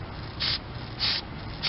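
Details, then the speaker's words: 2006 Dodge Magnum R/T after stainless brake line replacement, bleeding brakes into a bottle of fluid without engine running: three short hissing slurps as air is sucked in at the bleeder; not good. "I can hear it sucking air. Oops. So that's not good."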